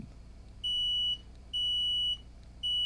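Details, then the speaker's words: 12 V pigtail buzzer used as a continuity tester on a MacBook Air A1466 logic board: three loud, clean, high-pitched beeps about half a second each, confirming a ground connection; normal continuity beep. "so yeah because it's distinctly louder so let's pick a ground point okay so we do have an active ground connection there"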